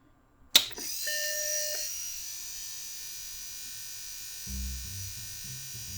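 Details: Mac 800K floppy drive M0131 after ejection gear repair: a click, then short even motor whir under a second with no grinding or stalling – eject mechanism cycling freely, normal operation.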